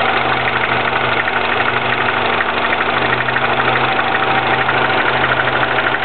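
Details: 2009 Mini Cooper S on a cold start: a fast, fairly even clattering rattle over the engine drone at idle. Possible timing chain rattle, unconfirmed.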